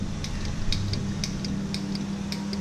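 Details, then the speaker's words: Buick Grand National idling while the steering is turned: sharp light clicks, roughly three a second in loose pairs, from a worn steering rag joint, with nearly a quarter turn of play before the tire moves; before the steering shaft upgrade. "so close to a quarter turn before the tire even moves you can actually hear it clicking"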